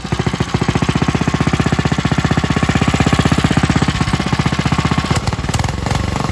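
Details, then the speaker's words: Coleman RTK100 (CK100) 100cc go kart engine idling smoothly as it should, with a quick, even putter and no grinding from the centrifugal clutch; comparison kart for clutches found poorly lubricated from the factory. "this is how it should sound when it's running smoothly this one was just running so should be fired up"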